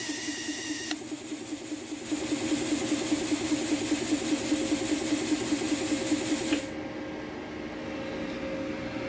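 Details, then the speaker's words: Tork CAB-50 plasma cutter not cutting, low air pressure: slow even chugging about two and a half beats a second over a thin hum as the compressor labours. "Ça ne marche pas. C'est un problème lié au compresseur."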